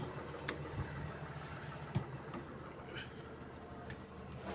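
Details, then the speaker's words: Toyota Land Cruiser VX80 (VXR80) diesel with turbo timer, idling after clutch disc and pressure plate replacement with transmission removed; earlier rough noise and vibration from bellhousing now gone: quiet, steady rumble, faint clicks, no rattle. Normal idle. "ini sudah kita naikin dia tidak ada suara lagi tidak ada lagi ya jadi ini kita tes langsung suara senyap tidak ada lagi ya"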